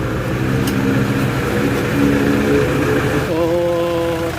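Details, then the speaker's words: Toyota Fortuner 3.0 diesel after valve cover gasket, valve cover seal and injector nozzle holder seal replacement, common rail lines retightened: even diesel clatter at steady idle, no ticking or leak hiss; now quiet and smooth. "Tahimik na yung under niya. So kanina talaga, so ganun lang siya kadali guys."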